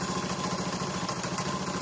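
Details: Honda Beat injection scooter after repair of no fuel pump and no coil spark (ECU replacement avoided, sockets checked and cleaned): smooth, even idle with steady low beat, no misses or rattles; engine running healthy.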